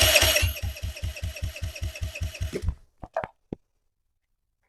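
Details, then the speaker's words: 2007 Kawasaki KFX50 4-stroke 50cc quad, no-start: compression test while cranking reads 150, and the starter turns at an even beat with no skipped strokes. Compression is good; owner suspects a gummed-up carburetor. "we go 150 so she's got compression"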